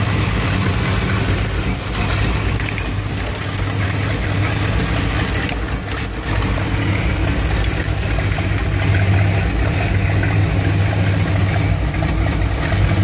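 Warm V8 idles with a loping, uneven beat and irregular stumbles instead of a steady rumble; rough idle, cause not pinned down.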